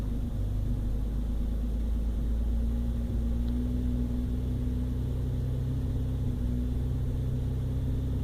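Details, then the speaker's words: 1997 Toyota Land Cruiser FZJ80 (1FZE) idling steadily after a fix, heard in a before-and-after comparison. The earlier rough idle extended to about 2000 rpm. After a short drive, the owner thinks the ECU reset or relearned. Now much smoother, with slight shaking remaining. "a lot smoother I can still feel some shaking you know the end or some shaking us there it's not perfectly smooth but it's a whole lot better it's pretty stable"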